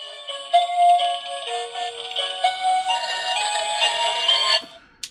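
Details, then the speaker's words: 2005 Lemax Tinkertown Toy Factory after repair with new belt and motor; the small speaker plays a loud, clear tune and the earlier crackling from a blown cone is gone; normal playback. "it does sound clearer it's still loud this one's obnoxiously loud um but I can hear that the crackling sounds gone so that's good it doesn't have a a blunt cone anymore"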